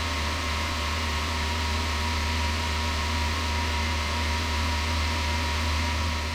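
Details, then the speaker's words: Toyota Land Cruiser 80 after new water pump, blue fan clutch and Koso digital temp gauge, warm at about 156°F, held at about 1500 rpm to heat engine: steady even drone with smooth fan rush, no knocks or squeals; normal. "I'm just gonna hold it at like 1500 RPM and see what the gauge says as compared to the factory gauge."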